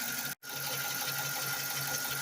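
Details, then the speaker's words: 2014 Dodge Charger 5.7 Hemi, after a cam and lifter job done with cheap parts, fully warm after a 15-minute drive, idles with a light, quick ticking under a hissy running noise; it's lifter tick, apparently on both banks. "all right here it is fully warmed up took it out for about 15 minutes probably uh 78 miles maybe a little less and it sounds like [Music] definitely got a lifter"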